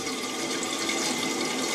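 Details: Toilet cistern refilling with the water back on, after the siphon seal repair to stop trickling into the bowl: a steady, smooth hiss of water with no chattering or cycling, so the valve is refilling normally.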